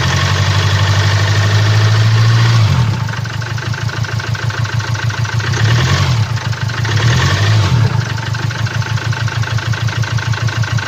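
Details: 2017 Land Rover Discovery TD4, 1999cc 110kW/150PS diesel, engine 204DTD, 175,719 km, idling: fast, uneven ticking knock about three per second over the rumble, caused by a defective injector.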